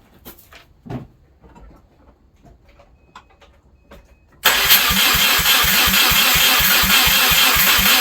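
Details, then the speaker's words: Subaru EJ253 first start after replacing bent valves and head gaskets, no exhaust fitted, alternator disconnected, jump-started, coolant not yet filled: engine catches and settles into loud, raw, even idle with steady exhaust pulses; sounds healthy. "first I want to see if she starts there's no exhaust on it it's gonna be loud"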